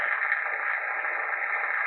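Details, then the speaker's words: FT-101EX HF receiver, restored, on 80 m at midday in a high-noise area with a five-band vertical: steady hiss in the voice band with no signal, normal background noise level. "okay so there's my normal noise level on 80. and this is the middle of the day"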